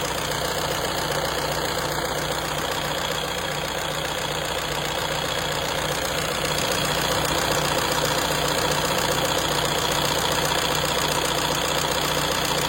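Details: Renault 1.6 dCi diesel idling: a regular knock about two and a half times per second riding over the diesel clatter; abnormal engine knock, cause unclear.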